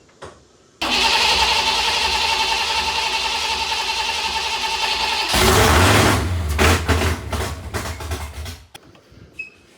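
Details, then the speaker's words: Foxbody Mustang 5.0 HO with T5, first start attempt after adding some ignition timing: steady starter whirr at about four beats a second with a few ragged putters that never catch; cranks but won't run. Cause suspected, not confirmed. "I think I've got it right there, but I just can't get it to got it to putter a little bit, but just can't get it to run."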